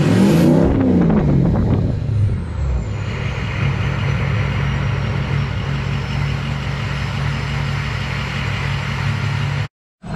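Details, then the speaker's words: Ford 6.0 Powerstroke with MBRP 4-inch turbo-back exhaust, S&B cold air intake and SCT Livewire tuner on its performance setting: revs snap up, then settle into a smooth, steady idle as the turbo whistle winds down. Healthy. "the six liter fired up here the same absolutely just sounds like a jet idling"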